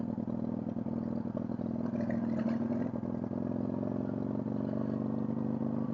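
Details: Motorcycle on a test ride after valve clearance adjustment, following carb flooding (suspected pinched tank breather hose), float and idle mixture reset, oil changed for fuel contamination: uneven stumbling beat and irregular pops at low revs, worse in lower gears; misfire, owner suspects valve seals.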